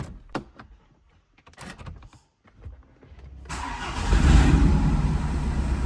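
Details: BMW Alpina D3 BiTurbo E92 coupe diesel, first start after rebuild following a knocking engine and ECU coding: a few clicks and clunks, short crank, then catches and settles into a steady, even idle; healthy start.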